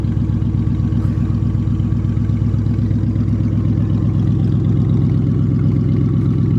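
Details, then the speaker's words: 1995 Lincoln Town Car on a cold start with open headers and no exhaust fitted: a steady idle with a light, even clatter about four times a second from the belt area, caused by a bad idler pulley. "It's got a bad idler pulley. That's what that noise is."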